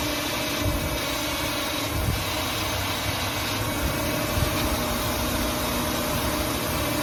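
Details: 2005 Ford Taurus petrol engine after ignition coil replacement: steady, even idle with a smooth hum and no misses, knocks or stumbles; running cleanly.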